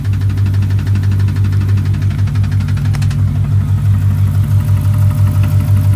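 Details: 2006 Chrysler 300 5.7 Hemi V8, bought cheap, just after first start: fast regular light top-end ticking over steady idle, then fading; owner suspects lifters or rockers, unconfirmed.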